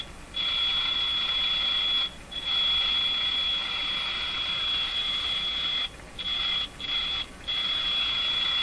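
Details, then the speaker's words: Jewel Model 505 vacuum tube clock-radio during repair; steady high tone cuts out and returns as wiring near IF can is moved, later found to be a factory-unsoldered wire. Intermittent audio from loose connection. "okay okay that's a hint maybe something up in this area here some pretty stuff that's pretty close shorting out here careful with what I wiggle"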